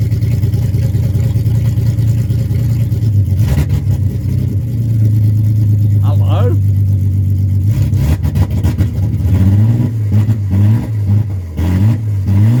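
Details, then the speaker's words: Car after a new fuel filter: engine catches, settles into a steady idle, then rises and falls cleanly through several throttle blips. The old filter flowed freely unpressurised but was blocked under pressure; the fuel filter was the problem. "[Music] there we go so it was the fuel filter after all"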